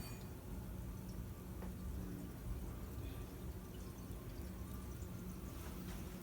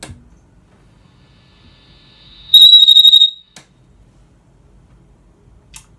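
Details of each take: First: Dr. Z EZG50 tube amp off standby at full volume after repair of a high-pitched squeal caused by lead dress: only a low steady mains hum and faint hiss, squeal gone; amp quiet and healthy. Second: Dr Z EZG50 amplifier taken off standby: after a click, a piercing high whistle pulses rapidly and then stops. The squeal started recently and is suspected to be oscillation or instability; the cause is not confirmed.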